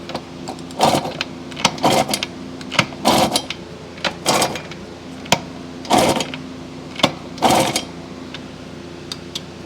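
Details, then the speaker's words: Yamaha YJ2 Campus 60 not yet running, repaired stripped plug hole, turned over with mic close: sharp clunks and clicks in bursts about once a second; owner suspects main or crank bearings, unconfirmed. "kind of sounds like main bearings to Me Maybe crank bearings I don't know"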